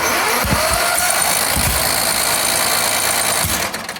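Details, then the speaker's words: Recovered riding lawn tractor, choke on, cranking on a borrowed battery: scattered dull pops about every second with flames spat out, but it never catches; backfire while cranking, no start; owner suspects a bad fuel supply. "Ah, des flammes, là, hein. Il crache des flammes, mais il veut pas partir."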